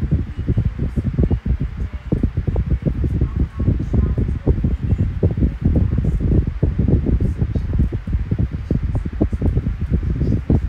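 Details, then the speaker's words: 12-inch Kool-Flo high-velocity fan (SFC2-300B), new with oil still breaking in; owner notes some bearing issues, possibly low oil. A steady low rush of air with fluttery gusts, powerful but quiet, with no grinding, ticking or whine; normal running. "Yep, I like it a lot. Very powerful and very quiet. It's not obnoxiously loud. It's just right."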